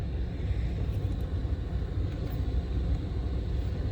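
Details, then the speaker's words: 1992–1996 Buick Roadmaster wagon, new blower motor just installed: soft steady rumble of air with no rubbing, ticking or squeal; gasket seated so fan doesn't hit anything, blower running normally. "seems like the gasket is seated enough so that it's not uh hitting anything which is nice"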